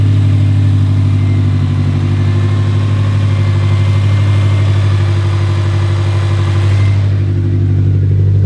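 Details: 2017 Subaru WRX STI (VA) 400 whp build, fixed, fresh oil, warming toward operating temp; steady even idle, clean unchanging tone, no misses or knocks; runs smoothly.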